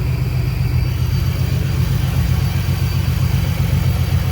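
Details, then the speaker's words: 2011–14 Ford Mustang 3.7 V6 idling after a BBK catted X-pipe repair: steady rumble with a soft regular puffing tick about four per second, a small exhaust leak; stripped header threads were tapped and the bolt replaced. "yeah anyway it's a success up at the header that's what i was hoping for sounded like a shitty ticking engine especially under load"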